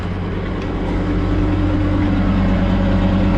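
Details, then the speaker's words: Old Ford Super Duty dump truck idling after new muffler fitted: steady idle with a light quick tick about three per second over the exhaust note; exhaust manifold leak at the heads, likely both sides. "There's no doubt. Hopefully you guys can hear that. There's definitely a tick there."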